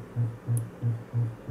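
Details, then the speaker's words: Gradiente HA-II hi-fi power amplifier driven into clipping near maximum power: low roughly 100-cycle hum pulsing about three times a second, ripple from the unregulated, non-stabilized power supply. "então a vantagem de um indicador um fonte estabilizada é que não tem esse rico nem quando a gente satura"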